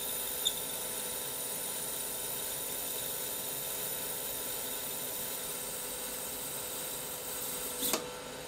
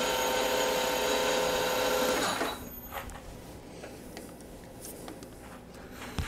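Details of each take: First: CBN insert turning tungsten carbide on a lathe at 0.3 mm diameter reduction: steady cutting hiss with a thin high squeal at what is likely the machine's limit; the insert may also be worn. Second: Lathe turning tungsten carbide with a CBN insert, 0.03 mm/rev feed, about 0.05 mm depth of cut, first cut: an even, clean singing tone for about two seconds, then quiet as the cut ends; a smooth, stable finishing cut.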